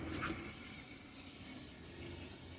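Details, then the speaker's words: 2011 Chevy Impala, good (left) rear wheel spun freely: only soft even swish of brake pads touching rotor, no hum or growl; normal bearing, unlike humming bad right rear bearing. "if you hear anything this is very much the the brake pads touching the brake rotors or the brake disc it's not that bad again there is no no humming noise on this side"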